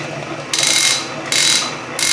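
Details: Refurbished Canedy-Otto drill press in power feed: three short bursts of rapid, crisp clicking as the hand wheel is turned to advance the drill faster; normal power-feed ratchet action.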